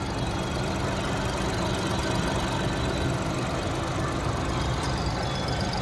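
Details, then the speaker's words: Skoda Kushaq, about one year old, idling parked with cabin mic: constant grumbly engine drone clearly audible inside the cabin, louder than it should be; owner blames lack of insulation (cost cutting). No distinct knock. "Guys, engine is quite noisy. Like आप भी जब भी red light पे गाड़ी park करते हैं और जब भी आप किसी भी जगह पे गाड़ी पार्क करेंगे और गाड़ी आपकी स्टार्ट है, तो आपको केबिन के अंदर भी थोड़ी थोड़ी इंजन की आवाज सुनाई देगी, because there is no insulation."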